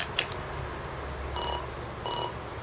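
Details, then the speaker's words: SNK Neo Geo MVS MV-1A arcade board after Neo-Buf chip repair fixing a Z80 error; diagnostic BIOS plays two clean mid-pitched beeps about two-thirds of a second apart, normal tones, all tests passed. "Just trust me, you can hear the normal tones. And it is showing all tests passed."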